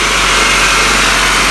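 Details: 1997 Toyota Camry 5S-FE 2.2L four-cylinder started after serpentine/alternator accessory belt replacement and tensioning; steady, even idle hum with no belt squeal or chirp, running clean; normal idle.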